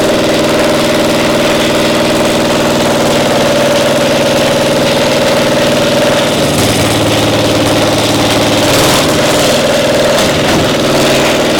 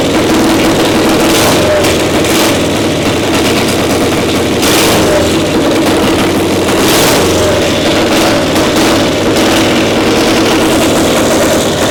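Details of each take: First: Caterpillar Diesel 70 two-cylinder gasoline pony starting motor: loud uneven stumbling run with shifting pitch, one cylinder firing only intermittently despite good blue spark; spark plug suspected. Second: Caterpillar Diesel 70 two-cylinder pony starting motor after swapping the faulty cap: steady, even beat with both cylinders firing, runs perfect; exhaust manifold stud still leaking.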